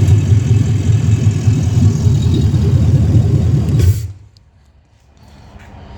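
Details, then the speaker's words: 2016 ambulance L96 6.0 V8 running on the floor; deep strong rumble revving up smoothly and dropping cleanly, no knocks or ticks, smoke-free, nearly new engine; thin intake audible; normal revving. "Well, it sounds like it wants to take off. That's a healthy, perfectly smoke-free, brand new almost engine."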